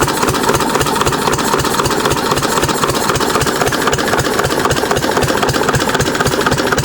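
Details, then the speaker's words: 6 HP Witte single-cylinder diesel running again after about 30 years, following valve work, an oil change and fuel-system cleaning: slow, even thumps at about four per second with nothing irregular between them. Normal idle. "So, I just like to let it uh idle. Just post nice and slow."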